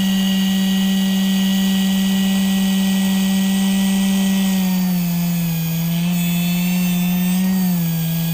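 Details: Upgraded 12 V dynamo motor rewound with reused copper wire from a washing-machine dryer motor; steady, strong mid-pitched whine holding speed with only a brief small dip; spins fast, normal running.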